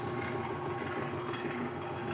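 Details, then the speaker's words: Clausing 4800 lathe after leadscrew backlash fix, feed running slowly: steady, even mechanical whir with light gear chatter, no knocks or binding; moving normally. "Yes, that's moving normally. This is moving normally."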